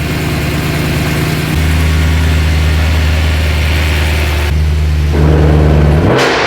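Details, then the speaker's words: BMW E92 M3 V8, cold, just rebuilt with new rod bearings and run with the exhaust valves closed. It settles to a smooth, steady idle with a brief small rev, no knocking and no leaks. Normal idle. "We don't have any leaks. It sounds good, nice and healthy."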